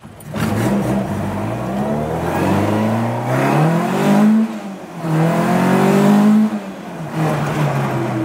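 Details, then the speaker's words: Mk2 Ford Escort 'Maude' on the road after exhaust work, mount not yet connected: engine pulls up through several gears, tone climbing smoothly, subdued exhaust with no banging; now much quieter and healthy. "but I'm sure you get a sense of how much more quiet this exhaust is now"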